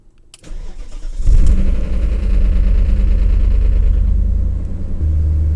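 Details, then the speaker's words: BMW after replacing the VANOS solenoid o-rings to cure rough idle, loss of power and chassis shaking: engine cranks, catches, settles to steady even idle, warm, no vibration; repair successful. "it's running I finish the tray around and you are standing still and Gina is warm nothing is vibrating everything is smooth so I call it a success"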